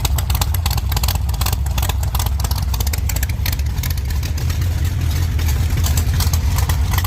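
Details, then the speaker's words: 1948 Chevy Fleetline, small-block Chevy with 4-speed, test burnouts after fixing earlier broken pushrods and blowing water out of the headers. Loud V8 revs hard with tyre noise, firing evenly with no clatter or misses. Normal running. "I think that sounds pretty good. I may pull the valve covers and just inspect everything."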